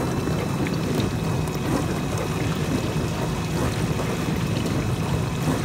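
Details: Dishwasher test run after water inlet valve repair/replacement: steady rush and splash of water into the plastic tub, no dripping or valve buzz; fill normal.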